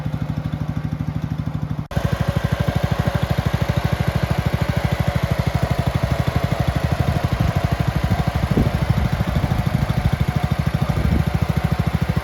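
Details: Red 1962 Bolens Ride-a-matic tractor, small petrol engine, after repairs, driving outside at varied revs: crisp even firing holding steady, no misses or knocks; normal running.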